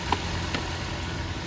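Steady low idle hum with an even beat and no skips or stumbles; the engine appears to be firing on all cylinders.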